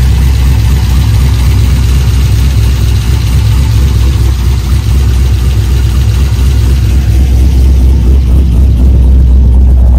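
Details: Corvette LS engine on first start after a Cam Motion Titan 5 camshaft swap (232/238, 113+4 lobe separation, 0.660-inch-lift springs, LS2 intake): deep, choppy idle with an uneven lope about four beats a second, steady and settled; big cam idling as expected.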